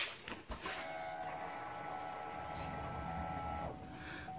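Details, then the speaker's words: 2015 Chevy Cruze diesel after a fuel filter change, key on without cranking (repeated three times): steady mid-pitched hum for about three seconds, then a clean cutoff; normal fuel pump priming. "wait a few seconds you can hear you can hear the fuel pump kind of wool and then shut it back down and then repeat this three times"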